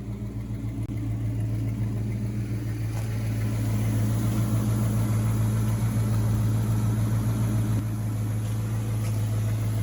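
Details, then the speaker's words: Old Dodge farm truck after replacing the rat-chewed fuel lines and the carburetor: an even low rumble with a steady pulse around three and a half beats a second, no misses or knocks; now idling smoothly, purring like a kitten. "Bertha purrs like a kitten now. Listen to that, huh? Woohoo!"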